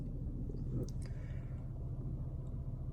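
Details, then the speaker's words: Slammed BMW E46 after its lean codes cleared, with a possible catalytic converter problem noted. Steady low rumble with the engine turning slowly; idle sits slightly low and dips at traffic lights. Low idle speed. "still idling the same I have thought that's a little bit low"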